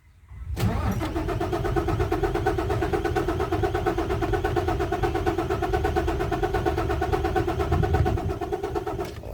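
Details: Isuzu 6WF1 diesel, hard starting with no trouble codes: long even cranking about nine seconds that never catches. Cause: stuck pump control valves (PCV) over-pressuring the fuel system.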